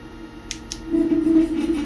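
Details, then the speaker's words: TeeWing/G-Space Mars XTR/GTR electric scooter front hub motor: two light clicks, then a low motor hum whose loudness pulses unevenly as the motor lurches, losing power every millisecond; suspected short in a yellow wire or poor ground; smooth with front motor disabled. "it literally when you're driving it it's constantly lurching like it loses power every millisecond"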